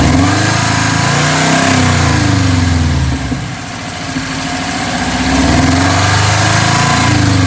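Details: 2012 Subaru WRX: idle rises into a rev and drops back, with a steady tapping about four per second that follows engine speed; owner unsure whether it is a spun rod bearing or valve chatter, an engine knock.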